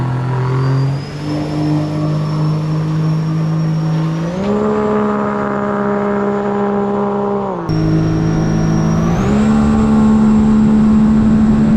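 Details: 2017 supercharged Sea-Doo RXT-X 260 jet ski with higher-compression pistons, on the lake after fuel was adjusted in the map tuner: strong clean revs climb in firm steps and hold a crisp, steady note with no stumble; normal running under load.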